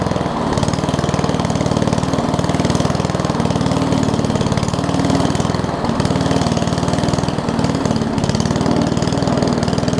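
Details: Old Murray push mower with a Briggs Classic single-cylinder, fuel tank swapped from another mower and oil topped off. It chugs at a low, slightly hunting idle with even firing and won't hold speed; the throttle appears to be missing its governor spring.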